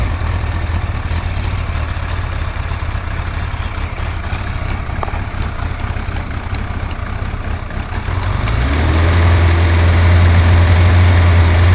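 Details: Suzuki GSX-R 1100 at idle: a quick, even ticking of about four per second sits over a steady idle and persists as revs lift; cause unclear.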